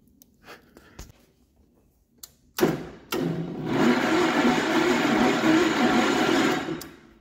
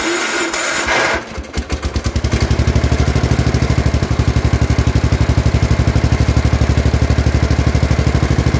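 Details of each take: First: Gravely 814 tractor that sat outside for years, with the power wire switched: a few clicks, then a labored four-second crank that never catches. Battery drops from 12.3 V to 11.3 V while cranking; cause suspected, not confirmed. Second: Gravely 814 tractor that sat outside for years, restarted just after an oil change: cranks briefly, catches, then a steady single-cylinder putter of about three beats a second. Running normally; battery at 12.5 V, apparently not charging.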